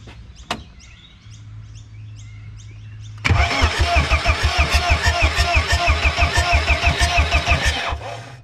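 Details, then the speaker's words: BMW E36 with a newly installed turbo M44 engine, running on a temporary engine ground strap: starter spins the engine evenly at about three pulses a second for over four seconds and it never catches; no fuel is arriving, and the fuel pump is suspected of getting no power. "and we're not even getting any fuel so either the fuel pump isn't getting power"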